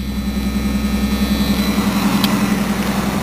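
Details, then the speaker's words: 1980 Ford Mustang, 200 CI inline six with manual choke, glass pack and stock exhaust manifold, just started: steady even low exhaust rumble at idle, regular pulses, no misses, ticks or knocks; smooth running, no mechanical problems so far. "And it's smooth running. No mechanical problems so far."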